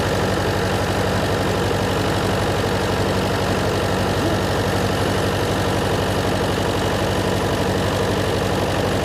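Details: John Deere 401C diesel with cracked block, idling: steady but uneven lumpy beat around 140 a minute, one cylinder not firing; temperature check shows number three cold while others hot, confirming an injector problem.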